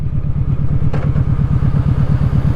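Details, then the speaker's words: Kawasaki Vulcan Vaquero V-twin at cruise: deep, lumpy exhaust thump of roughly ten even beats a second, holding steady; a healthy V-twin running normally. "play call V twins nothing makes the same noises Harley um they're pretty unique"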